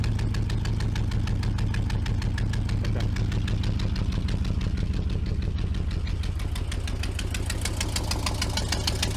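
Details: Vintage C30 RV engine after exhaust manifold gasket work: deep, loud idle with an uneven thudding pulse about three times a second. A paper-at-tailpipe trick suggests a possibly bad valve, suspected only.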